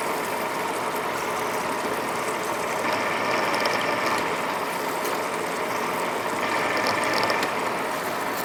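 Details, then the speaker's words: Deep-hole drilling in 2-inch 1045 cold-rolled steel on a Monarch lathe for crane idler shafts: steady cutting hiss with ratcheting chatter and occasional harsher crunches; the drill is loading up with chips and must be backed out and cleared. "the crunching sound that I hear every once in a while that's the drill loading up with chips and then I had to back it off and clear it out"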